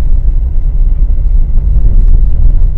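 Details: Nissan Terrano on road test after removing and refitting the instrument cluster to chase a dashboard noise: only steady low road rumble, no ticking or buzzing from the dash; rattle gone.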